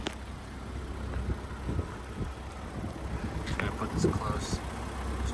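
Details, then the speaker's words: 2020 Range Rover HSE 3.0 turbocharged, steady low rumble at idle with no knocks, ticks or misses; healthy normal idle. "can hear, you know, healthy idle."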